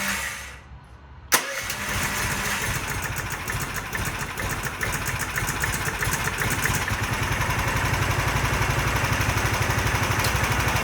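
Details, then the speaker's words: Predator 420 engine after adjusting intake and exhaust valve lash to .004 in to cure backfiring on cranking. Semi-cold start, first without choke, then with choke pulled: catches at once and runs steady and even, with no backfire or pinging. "I'm gonna have to pull the choke, but you notice that one, no backfire, so let's hope it still doesn't."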